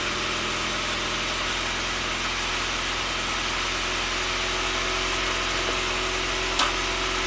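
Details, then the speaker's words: 1993 Saab 9000 CSE Turbo at hot idle with the CKP sensor reconnected: fires and holds a fast steady idle around 1,400 rpm. Check engine code 5 flashing, a possible TPS signal fault. High idle. "all right ckp is plugged back in just fires right up and runs beautifully and you see the idle comes up to about 1,400 and just stays"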